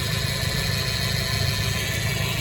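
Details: 1993 Nissan Hardbody KA24E after timing chain job (oil pump re-clocked after being a tooth off), new water pump, NGK plugs and wires: steady even low idle rumble, no rattle or ticking; engine smooth and healthy.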